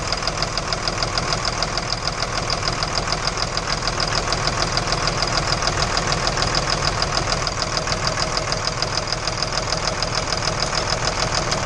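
A hard, even knock at about 200 a minute runs through the whole idle, steady and unchanging; a clear internal engine knock.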